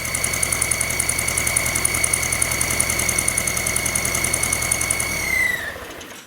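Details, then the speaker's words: Volkswagen, about a month after rebuild, rough idle: uneven ticking about three per second under a steady high whistle that smooths and fades when carb cleaner is sprayed at the intake manifold; intake base gasket vacuum leak. "There it is. See how it smooths out as I spray it? So that intake base gasket is leaking."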